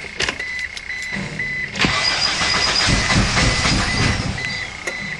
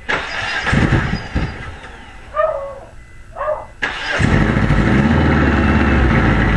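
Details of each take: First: Eagle Summit engine after reinstalling the cylinder head with a new head gasket and correcting wrongly set valve lash adjusters, cranking with the spark plugs unhooked. The starter turns at an even, steady rhythm; compression sounds just right. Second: Eagle Summit after head gasket reinstallation, valve cover off: the starter spins fast and light for about six seconds with an uneven beat and never catches. Compression is low; the valve lash adjusters are set incorrectly.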